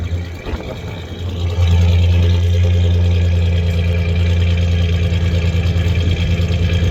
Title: 1993 ford ranger 3.0 v6 idling and trying to find the misfiring cylinder